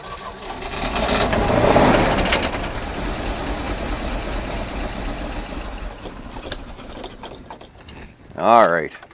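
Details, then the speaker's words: 1981 Jeep J20 4WD pickup with a 360 AMC V8, first start after sitting: ragged, uneven running under a heavy clattering roar, never settling; oil pressure present, fuel leak at the carburetor base, and fresh engine oil found on the ground afterwards; cause suspected. "hey hey we got oil pressure it runs just not very well"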